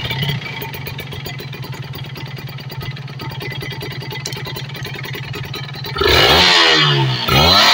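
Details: Kawasaki Ninja RR two-stroke after carburettor and reed membrane service and air/idle screw setting: even popping idle, then clean sharp rev blips rising and falling without stumbling; carburettor running right.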